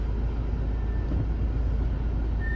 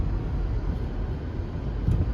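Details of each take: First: Mazda CX-5 reversing out of the garage: a thin, steady high squeal over a low idle when the brakes are applied, with none going forward; pads and rotors are in excellent condition and lubrication is planned; brake squeal when reversing. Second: Mazda CX-5 backing up and braking after lubricating pads (pads and rotors in excellent condition), previously squealed only when reversing: low rolling rumble, no squeal or scrape; quiet brakes after the fix.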